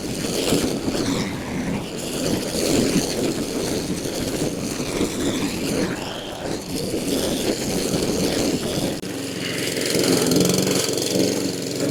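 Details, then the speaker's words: Honda HRN216 mower after a new carburetor, air filter, spark plug and fresh fuel, with old sediment-laden fuel cleaned out: runs at a steady speed with no more surging. "Put a brand new spark plug on it, and we're not surging anymore."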